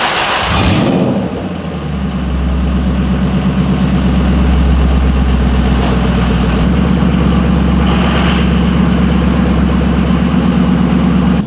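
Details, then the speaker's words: Lexus LS400 started: brief crank, quick catch, smooth even low idle with no knocks or misses; runs perfectly healthy. "all right it's on it runs it sounds perfectly healthy"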